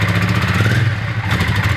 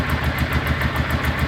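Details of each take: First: Honda Ascot motorcycle, not yet fully warmed up, idle very low; rough uneven low beat with clattery hesitation when throttled, wants to die if revved hard; throttle stutter, cause unclear, possibly temporary. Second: Honda Ascot motorcycle after sitting a week, started first crank: even low putter around eight to nine beats a second, steady, no misses or knocks, little or no exhaust smoke; clean healthy idle.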